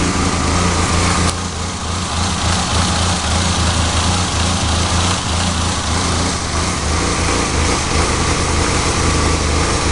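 Steady low idle with an uneven, loping beat and occasional stumbles in the firing; a rough idle, cause not yet pinned down.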